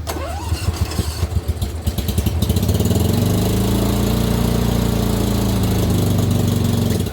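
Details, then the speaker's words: Dixie Chopper 60-inch zero-turn mower at full throttle, firing on only one cylinder: uneven chugging, then a drone that sags and dies when the blades engage or steering load is applied. "the minute i either turn on the blades it wants to kill the motor or the minute i try to drive it and put pressure on it by using the steering arms it wants to slow down and die again"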